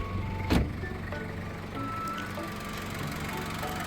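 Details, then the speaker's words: 2003 Ford Ranger 2.5 XLT 4WD with its original 2.5 turbo diesel, started after a glow-plug preheat: after one brief knock, a low, quiet, steady idle with no stumbling or shaking; healthy engine. "เสียงของเครื่องยนต์นะครับก็ถือว่าเสียงเพราะเสียงเงียบนะครับเครื่องก็เดินเรียบเครื่องไม่สะดุดเครื่องไม่สั่น"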